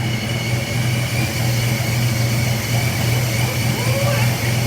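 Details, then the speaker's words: First start of the Retro Fox V8 after a Vortech V3 SI supercharger install: deep, steady, lopey idle with no knocks or misses. Timing was guessed and may be a tooth off, it has 60-lb injectors, and the MAF is not hooked up. Smoke is from oil. "So, but I can't believe it sat right there and idle. So that's awesome."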